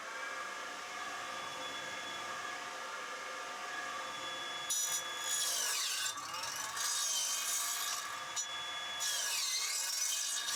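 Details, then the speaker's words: Old radial arm saw, idle for many years, test-run: motor hum then rough, scraping, laboured bursts cutting timber; blunt blade, later touched up on a blade grinder. "I just need to run okay just a blade blunt it seems to be sliding okay too so I set it up in this cheap blade grinder I have"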